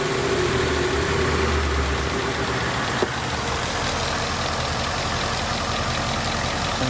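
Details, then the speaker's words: 2019 Mustang GT, about 16,000 miles: steady idle with a faint, uneven tick about four per second, not normal for this car; cause still unknown. "this is not a normal sound for the last 15,000 miles so if something's up yeah go ahead and do it mm what an idol"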